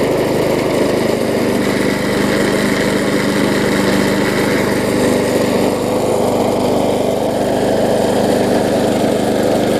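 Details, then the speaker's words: Bolens self-propelled mower after no-spark fix by regapping ignition coil too far from flywheel: small engine holds steady even drone, no surging or misfire, started on first pull; normal running. "so I can hear it does run good and start it up on the first pole which is always a plus"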